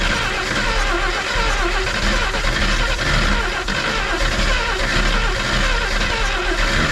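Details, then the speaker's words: 1962 AMC Rambler wagon, cranking after a fuel-pump prime and a spritz into the carburetor: steady, even churn that never fires. Weak spark again. "see dang it yeah we're not getting good spark again gosh darn it"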